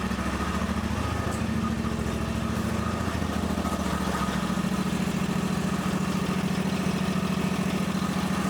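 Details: John Deere X350 riding mower running before a battery voltage check after the battery was dead: small single-cylinder engine thumps along evenly with no misses or knocks. Normal running; later measured charging at 14.4 V.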